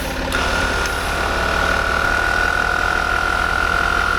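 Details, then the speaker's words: Land Rover Discovery 4, air suspension compressor just replaced, engine idling: a steady, even high whine holds constant as the suspension rises, clearly better than the failed unit; the compressor is running healthy. "well it sounds better oh it's raising oh my God it definitely sounds better than before"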